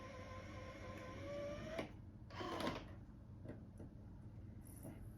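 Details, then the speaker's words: Sony DVP-CX860 DVD changer after repair of C:13:00 error and a rattle (mechanism piece readjusted, tolerances had drifted): only faint disc spin and soft mechanism clicks, no rattle; normal, silent disc playback. "It seems to play anything I throw at it without issue, and you know, it plays discs silently now, as it should."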